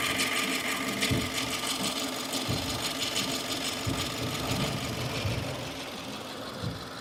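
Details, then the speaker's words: 2015 Subaru Forester engine running; sharp chattering rattles every second or two, not in step with engine rotation, newly heard in the last couple of days; source unknown. "it's like a little bit of [Music] chatter it's not constant with engine rotation which is [Music] weird"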